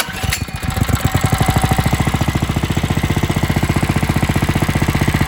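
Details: Coleman RTK100 (CK100) 100cc go-kart, single-cylinder, warm, no choke: fast even putter held under load, then bogging with grinding as resistance is added; centrifugal clutch not lubricated from factory, dry and dragging.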